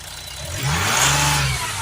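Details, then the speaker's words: Mercedes E350 V6 CDI diesel with high DPF soot/ash readings, after refitting a crushed part that wasn't sealing and was letting air in: smooth even rev rise and fall, no hiss or puffing, no air escaping; sounds much better, normal revving. "There's no air coming out. The car sounds so much better. Okay, now that that's done, the car sounds so much better."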